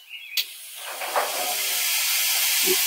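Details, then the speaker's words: BendPak 4-post lift: sharp click then steady building air hiss as air-operated safety locks release after lifting slightly; normal. "So what you want to do is, when you want to lower the vehicle, you want to raise the lift a little bit. That allows the locks to release."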